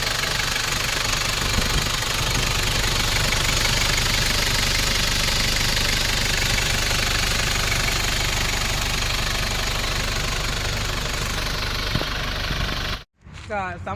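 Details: 1994 Nissan Big M pickup, BD25 2.5 L four-cylinder direct-injection diesel, after a test drive: even clatter at steady idle, about two beats a second, no extra knocks or hunting; healthy idle.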